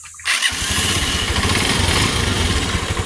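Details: TMX 125 motorcycle with hard starting, after converting to a battery-operated CDI: engine fires on the first try and settles into a quick, even single-cylinder idle; starts and runs cleanly.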